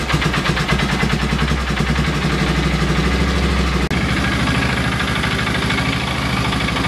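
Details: Polaris Ranger 6x6 single-cylinder, sat two years, run on fresh fuel from a reserve tank straight into the carb after a restart: steady idle sags and stumbles midway as if about to stall; carb needs minor adjusting, cause suspected.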